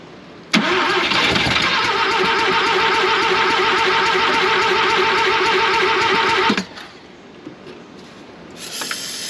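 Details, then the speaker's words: 1971 Mazda RX4 race car, 13B rotary, long parked: catches and runs a few seconds at a rough buzzy idle, then cuts out abruptly; owner running out old E85, suspects fuel, possibly out of fuel or flooding; starts then stalls. "I'm trying to run that E85 out then I'll clean the plugs I think that's just gonna be fuel"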